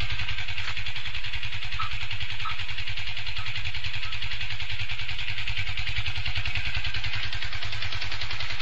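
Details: Yamaha FZ150i at steady idle: rapid even clattering rattle over the low rumble, worsening daily with heavy vibration; returned after overhaul, engine bearing and primary driven gear replacement; owner suspects valves, unconfirmed.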